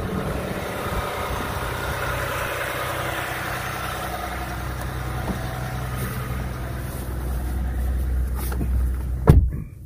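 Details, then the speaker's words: 2020 Ram 1500 EcoDiesel (Gen 3) cold-started at 32°F outside: steady, even diesel clatter at an automatically raised idle; a normal, healthy cold-start high idle. "this was a cold start you see it's 32 degrees outside so all I did it was hop in and start the truck and it automatically went to a high idle see that so that's pretty awesome"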